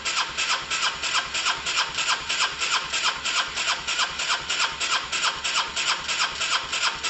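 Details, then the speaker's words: Honda SH125 after a new relay, timing possibly set wrong: steady starter churning about three strokes a second with one odd kick like compression overload, but it never starts; owner will check spark and timing. "it's uh that was interesting guys there was some sort of kick there was some sort of kick something"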